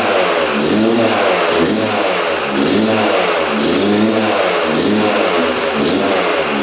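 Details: 1997 Yamaha YZ250 two-stroke, previously non-starting, on choke with fuel on: fires first kick, crisp crackle rising and falling in repeated blips, never settling to steady tick-over; won't idle.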